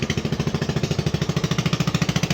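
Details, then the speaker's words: AXXO Viper 180cc scooter: excessive, loud sharp exhaust chuffing about eleven puffs a second, louder when accelerated, from gases escaping at a failed exhaust gasket at the cylinder head. "vamos a proceder a por el de la motoneta y esto lo podemos apreciar el ruido excesivo exagerado"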